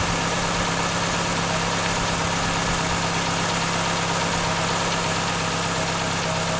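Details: 1996 Chevrolet Cavalier 2.2 after water pump replacement and coolant refill: steady idle with constant hum and hiss, steam only from spilled fluid, no knocks or squeals; engine running normally.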